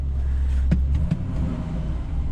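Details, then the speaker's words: Pipeline pickup truck at an equipment auction, fires right up and drives forward and reverse with no check engine light: low steady idle rumble holding an even note without stumbling or tapping; clean idle. "sounds good i don't know this one's going on the watch list for sure"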